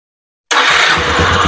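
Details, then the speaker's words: Automatic scooter with hard starting being cranked by the starter: uneven low pops show combustion and spark present. If the cleaned plug sparks but the engine still won't start, other causes must be checked. "begini Itu ada ada pembakaran ya jinya Ada letupan duduk gu berarti apinya masuk tadi"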